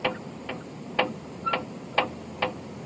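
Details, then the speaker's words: Front end diagnosis by rocking the tire side to side: sharp hollow knocks about twice a second; front end clunk. "I'm about to teach you how to diagnose front end clunks um it's actually really easy shake the tire"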